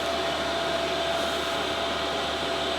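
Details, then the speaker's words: Van diesel heater after self-priming, warming up from lukewarm: steady airy fan rush with faint whistle, fuel pump ticking, slight exhaust smoke; running normally. "it's building up it's going up it's going up here fuel pumps ticking away a good in little bit of smoke coming out exhaust not much"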